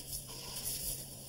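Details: Hot-water side of a kitchen faucet brought in for being loud: just a soft, even water hiss with no hum, chatter or whistle. It runs quietly and normally.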